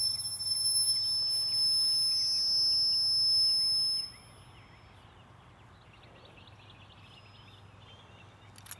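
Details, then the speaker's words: Old R-22 AC system nearly out of refrigerant, leak likely in the dirty evaporator coil; thin steady high whistle for about four seconds, probably refrigerant passing the metering piston; high-pitched refrigerant whistle. "probably refrigerant going past that piston right there."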